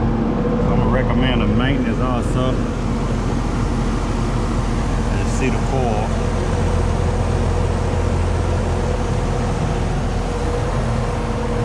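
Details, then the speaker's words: Carrier AC condenser after the failed run capacitor was replaced and wiring redone: steady low hum, with compressor and fan running evenly and no rattles or buzzing. The unit sounds healthy and is blowing cold. "All right, should get us going. Let's test it out. I do hear the compressor."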